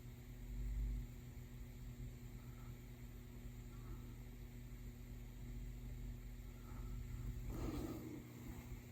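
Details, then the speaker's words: Early tube radio power supply under test, DC line from the rectifier being brought up: faint low mains hum with no popping or crackling, so the supply is good to that point. "our DC's coming up fine. There's no popping and cracking, so we know we're good to that point."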